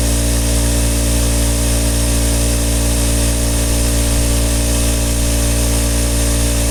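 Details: Craftsman air compressor model 919153131 after repair with KK-4835 kit: loud steady drone with fast even chugging, no stalling or laboring as pressure builds past where it previously stopped; pumping normally.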